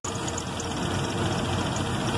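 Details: 1995 Jeep Grand Cherokee 5.2 with damaged, miswired harness after relay/fuse box replacement: uneven wavering idle rumble, no steady beat; rough unstable idle, vacuum varying, fouling plugs; harness needs full replacement.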